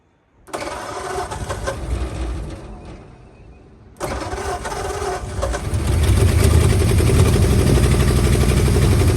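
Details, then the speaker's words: 1940 or 1941 Ford truck with flathead V8, sat about 50 years, now first running on gasoline after an ether run: catches and settles into a rough, lumpy idle. Heavy blow-by noted. "that he does have a ton of blow by when she's running off gas"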